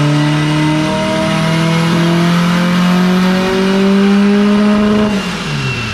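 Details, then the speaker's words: Honda Civic race car on boost, 10 psi at 60% injector duty during a tuning pull: engine pitch climbs but the rise slows and flattens before lift-off, laying over under load. "yeah 10 pounds and i got 60 duty in it to do that and it still sounds like it's laying over on me"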